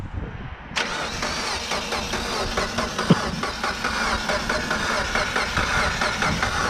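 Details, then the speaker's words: Freshly built 600whp Mitsubishi Evo X on its first test crank, coil packs unplugged to prime the new turbo with oil. The starter turns the engine steadily at about one pulse per second with no firing. Cranking only; a slight oil leak was found later. "we're gonna do it one more time just to be sure it's got oil in it"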